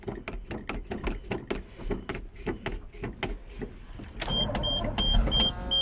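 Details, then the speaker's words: 1988 GMC 6000 truck cranking on a booster pack with a weak battery: steady starter churning about three beats a second for several seconds, never catches, then a chime. Long crank, no start. "ooh this thing's getting hard to start right now it's not liking me today what the heck are we gonna do things not wanting to start today"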